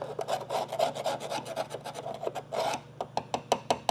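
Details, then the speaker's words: Datsun 280ZX during rust repair: even, crisp file strokes about four per second with no dull or crunchy patches, showing solid metal under the surface rust. "He hear that sound? That's the sound of solid metal."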